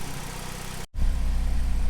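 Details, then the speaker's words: 2007 Saturn Sky, lean fuel code, after tightening a loose bolt: steady, even low idle with no tapping or hiss; check engine light cleared itself; normal idle. "well that sounds a lot better I'm hearing any kind of weird noise any kind of vacuum and it kind of you know tapping or anything like that was happening before so I think that definitely was part of the problem"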